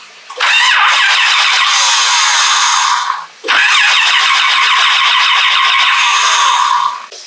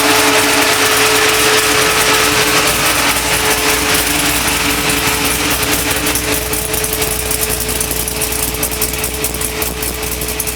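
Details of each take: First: 1976 Chevrolet C10 with LS7 engine after rewiring: the starter whirs through two long cranks of about three seconds each with no firing; no spark and no fuel due to a wiring fault. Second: 1976 Chevrolet C10 truck with LS7 V8, early start after harness rewiring: loud V8 settles into steady, even idle with constant high whine and no misses; sounds healthy.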